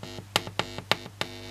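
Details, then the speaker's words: Home-modified shortwave radio (slug-tuned, converted for 2–8 MHz) with new transistor audio amplifier replacing TDA chip; steady low 50 Hz buzz with overtones and scattered clicks; ground loop suspected somewhere in circuit, transformer thought not the cause, not confirmed. "but somewhere in this circuit there is a ground loop that generates a hem and you can hear that here"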